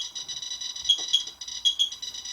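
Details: Radiation meter comparison (QSAFE QSF-104, RADEX, Smart Geiger) at a low-dose position of about 0.45 µSv near a radioactive source: short high chirps at irregular intervals over an electronic whine as the meter alarms.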